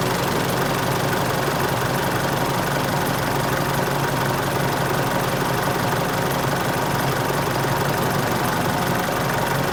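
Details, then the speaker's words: Isuzu All New D-Max 2.5 VGS diesel on the first cold start of the day: loud clatter with fast, uneven clicking. The SCV (suction control valve) solenoid is loud and irregular, so the valve is faulty and gets replaced. "แต่แต่ที่น่าได้ยินนะครับก็คือเสียงโซลินอยด์เนี่ยเขาลั่นเลยนะครับแล้วก็ทำงานไม่เป็นจังหวะเลยนะครับ"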